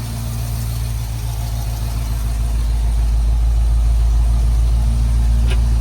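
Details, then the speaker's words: 1973 Ford Bronco V8 with a computer-set idle target of 700 rpm, while work is being done on the radiator: a steady, even idle actually sits at about 830 rpm, and around 790 rpm with the gas pedal pulled back, so the idle speed is too high. "Got the computer set at 700 RPM idle. It's still idling at 330. Excuse me, 830."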